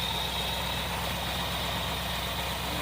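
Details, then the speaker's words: 1964 Plymouth 440 wagon, first start after fitting a bolt-on Edelbrock carburetor to the stock intake; it fires right up and settles into a steady, smooth V8 idle with no knocks or misses despite old plugs, cap and wires. Normal idle. "Fire right up. And it's pretty smooth. Old ugly ass motor sounds pretty good."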